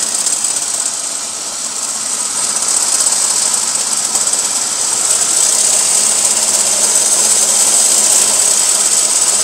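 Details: Chevy Beretta with the GM 3.1 engine running, with a fast, uneven metallic rattle over hiss from the engine bay. The AC compressor seized soon after, throwing sparks, and fixing it fixed the noise.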